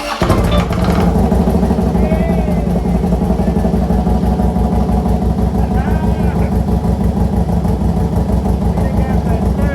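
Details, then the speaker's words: Copart 2015 Harley-Davidson Road Glide, possibly with a cammed motor, at first startup and warming up without throttle: loud, choppy, lumpy idle with an uneven loping beat, just settling after start; sounds healthy. "we just finally got this thing to fire right up it's game time baby I hear that motor chopping like that I ain't gonna hit the gas I'm gonna let it warm up"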